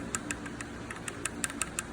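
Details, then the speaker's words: Honda XRE 300 single-cylinder engine with 140,000 km: sharp metallic ticks about six a second at idle from a slightly loose cam chain guide, noise varying with engine speed and position. "Então, dependendo a situação que tá o giro do motor, ele faz esse barulhinho aqui, ó. Isso aqui e isso aqui lá dentro, lá dentro do motor."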